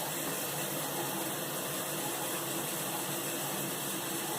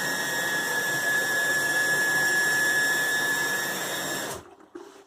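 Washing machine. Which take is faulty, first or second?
second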